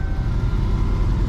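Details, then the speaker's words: Van engine at idle, previously very loud: low, smooth, even rumble with no rattles or roar; now quiet and healthy. "she closed she sounds better than my other van right now but uh I'm taking that because this thing was so loud before it was loud it was nasty nasty loud"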